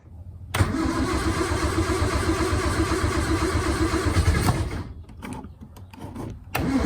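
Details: 1961 Triumph TR3A after a carburetor rebuild, totally cold start with the choke pulled and jets now dropping: catches almost at once, holds a steady fast idle for about four seconds, then cuts back; a clean choke start.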